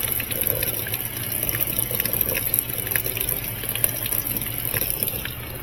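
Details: Maytag top-load washer after repair, previously said to have a bad transmission: steady rush of water over a low, even pump hum with no knocks or grinding. Normal fill and drain.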